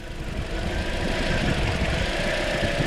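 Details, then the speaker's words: 2013 Toyota Corolla with year-long intermittent misfire, plugs, coils and injectors reportedly replaced: uneven lumpy idle with occasional stumbles as cylinder 3 drops out, then fully misfiring; being scoped for ignition cause. "Misfire 3 is misfiring. And now it's fully misfiring."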